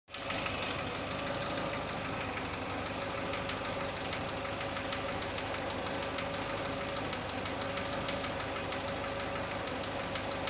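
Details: Chevrolet Aveo, cold engine: fast, even ticking knock over a light idle on cold start; knock from the engine, source not pinned down, cause suspected, not confirmed.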